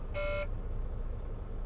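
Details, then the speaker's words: Truck low-coolant warning: two short buzzy dash beeps about 1.5 s apart over low engine rumble. The owner had just checked and says coolant is not low, calling it a false alarm; maintenance-required and stop-engine fault messages were also showing. "well it's not giving me that noise anymore so oh [ __ ] yeah I I don't care you're a lying sack of [ __ ] boy who cried [ __ ] wolf you have coolant I know you do I just checked"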